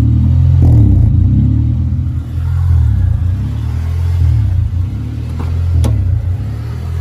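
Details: 1995 Honda Civic, started after cooling 10–15 minutes, idling: low engine drone rises and falls every second or two. Idle hunting, cured by wiping down and resetting the idle air control valve.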